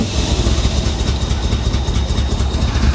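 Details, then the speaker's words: 1985 Chevrolet Corvette, flooded and abandoned in a Florida swamp and not run in over 10 years, at first revival: an uneven, lumpy low rumble with irregular stumbles and popping as it struggles to hold idle, though it runs on its own. Rough running; owner suspects timing, fuel or plug wires. "I don't know she sounds like she tries so hard to run better you can hear it popping she's running on her own though"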